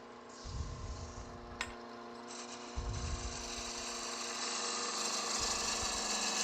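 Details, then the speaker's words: Long, thin wooden French rolling pin spindle chattering on the lathe while turned with skew and spindle gouge: steady ringing harmonic buzz over the tool's scraping hiss, which resting a hand on the workpiece can quell. "You all know that sound, don't you? That vibration there, harmonic thing. You can quickly quell that by just putting a hand on it."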